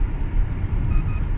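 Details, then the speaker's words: Dodge Intrepid V6 after reconnecting the cylinder 1 injector, accidentally unplugged during a coolant bleeder housing job: steady, even low rumble with no stumble; normal idle, flashing check engine light gone. "now it's running fine check engine light's no longer flashing"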